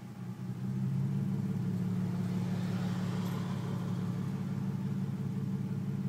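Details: Nissan 350Z at operating temperature, warm idle: a lumpy, uneven beat with about three stumbles per second, a misfire. It runs fine until warm; the check engine light is on after an earlier start without the intake fitted.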